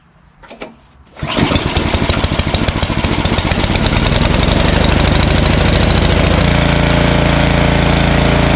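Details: Snowblower small engine, primed, choked, high throttle, being run dry on leftover fuel before storage, catches on the first pull and settles into a steady fast even beat with no misses; running cleanly.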